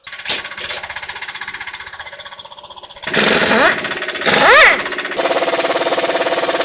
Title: Loud Clicking Noise While Driving? Differential Ring Gear Teeth Broken!